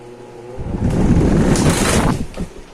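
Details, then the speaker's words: Britânia Turbo fan that was dropped: starts with a loud rough rattle and rushing air, vibrating heavily because the fall broke a blade and left it unbalanced. "Então tá aí eu vou mostrar para vocês o defeito quem for esperto aí já vai est descobrindo aí o defeito então o defeito desse ventilador tá aqui ele caiu quebrou a hélice e ela tá desbalance aí beleza"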